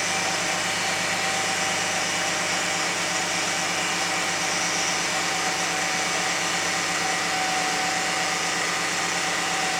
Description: 2001 Lexus RX300 making Whining Noise